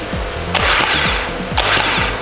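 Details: Starter from a water-damaged 2019 Porsche Macan, bench-tested with a battery: two short bursts of high whirring spin, each winding down as power drops; starter spins freely and works.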